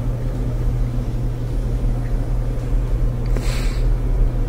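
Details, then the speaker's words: Electrolux dryer after repair of rumbling caused by lint built up in the blower housing: smooth even low hum with no rumble or knocking; cleaning fixed it, normal operation. "sounds good so that did the trick hope that helps you with your Electrolux dryer"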